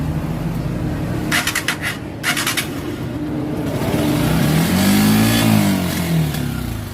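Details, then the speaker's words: Honda TMX125 motorcycle after a carburetor part was replaced: engine runs rough and uneven, a throttle blip rises only sluggishly, still seeming starved of air; misfire and hesitation persist, ignition next to be checked. "Parang kinakapos pa rin sa hangin."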